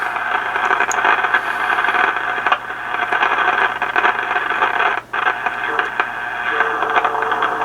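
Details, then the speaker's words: FT-101 ham radio receiver: constant hiss with irregular sharp crackles like lightning crashes, which come and go as the VFO is tuned; erratic internal noise fault, to be traced with a signal tracer. "But I think this is lightning crashes inside the rig. It's sounds really bad."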